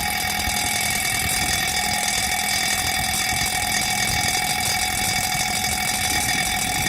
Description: THIS SOUND IS VERY NOISE FROM DOWN STAIRS OUTSIDE.